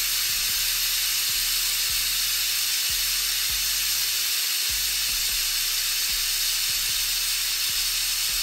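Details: Autoclave after a tattoo-grip sterilization cycle, at about 26 minutes with power cut: the deflate valve is pulled manually. A very loud, steady steam hiss holds constant as the chamber pressure bleeds off, which is normal.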